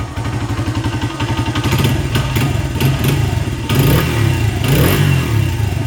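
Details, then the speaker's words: 1994 Honda XR100R, not started in 17 years, after carburetor work, first kick, not yet warm: crisp, even single-cylinder thump at idle climbing cleanly with throttle blips; sounds like new, normal running and revving. "Amazing. Sounds like a brand new bike."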